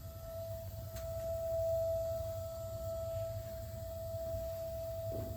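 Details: Gas water heater just over a year old, expansion tank on cold line at 50 PSI: steady high-pitched whistle over a low hum only while the burner fires, unaffected by relieving pressure, stops when burner turns off; cause unknown.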